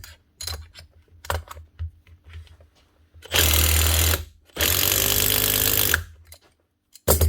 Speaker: that's her one Makita DTD 154 brushless impactor with a new front gear casing and the old one the actual needle bearing built into it that holds the butt holder failed so replace the needle bearing